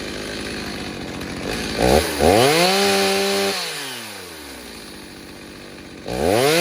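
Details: Stihl 029 chainsaw with 45mm top end, first tank since rebuild: two-stroke revs up crisply, pulls down steadily into the cut and returns to idle cleanly; normal healthy running under load.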